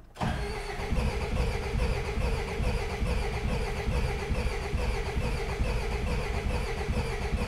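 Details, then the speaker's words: Peugeot 404 diesel pickup, old indirect-injection 2.1 (badged 1800), sat non-running for years, glow plugs used: starter cranks slowly and steadily, about two compression beats a second, never fires; owner suspects low compression or needs more heat. "come on pick up she saw trying on like two more heat more heat think we're lacking in the compression or more heat poor starter"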